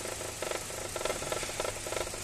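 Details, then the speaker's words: Hyundai Grand i10 petrol engine idling unevenly, shaking, with irregular thumping bursts about every half second from a misfire; fault codes P0134, P0132, P2187; engine also stalls. "य engine अभी भी हिल रहा है miss fire हो रहा"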